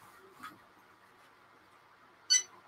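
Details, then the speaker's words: New BIQU BX 3D printer starting a print: two short high-pitched chirps about two seconds apart in a quiet room; cause of chirping unknown. "why is it chirping i don't know why it's chirping it's chirping it's like a little bird you know"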